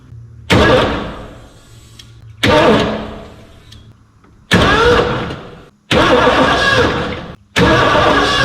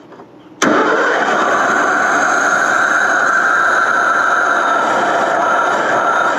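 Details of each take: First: 1989 Ford F250, parked since about 2016, with a new gas tank and a new cheap DieHard battery: five cranking bursts with the starter turning steadily but no catch; the spark was later lost. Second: 1989 Ford F250, first run in years: cranks briefly, fires right off and settles into a steady even idle with no misses or knocks.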